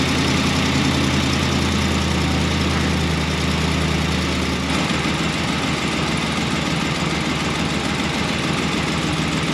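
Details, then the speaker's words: Ram 1500 5.7 V8 with BBK shorty headers, restarted after tightening collector bolts (threads hitting collector): sharp, uneven puffing tick quickening with revs, still leaking at header-to-collector joint. "okay let's see if that steals this thing up or not restarting the engine and it still leaked"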